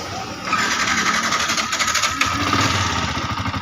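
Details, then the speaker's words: Yamaha R15 that was totally dead with a silent fuel pump and spark at the plug: starter whirs briefly, then engine suddenly catches and runs with uneven ticking; intermittent fuel pump failure. "Nah, di sini dia posisi hidup teman-teman. Tiba-tiba dia hidup ya. Jadi tadi dia tidak hidup teman-teman sama sekali."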